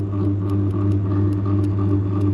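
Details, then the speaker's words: Three-phase induction motor given phase and neutral via parallel testing board during spark-method winding terminal identification. Steady low mains hum with buzzy vibration and faint light ticking; sparking seen; normal motor hum. "यह हमारा parallel testing board है इसमें मैंने इसको लगाया इसमें आपको vibration सुनाई दे रही होगी ठीक है"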